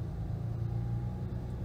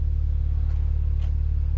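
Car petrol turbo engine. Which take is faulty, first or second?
first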